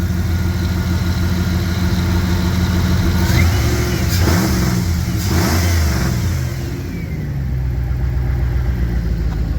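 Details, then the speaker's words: 1998 Dodge Ram 1500, heard from under the truck after exhaust patching and welding, with the muffler left off on purpose: deep, loud rumble swelling with throttle blips; open exhaust, running fine. "I decided the well the muffler did fit but I didn't put it on think I like the Sounder for better the way she is"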